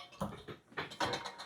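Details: Fiskars reel mower after new parts and sharpening; the hand-spun reel gives light irregular scraping ticks as the blades pass the cutter bar. This is slight contact, so back off the adjustment.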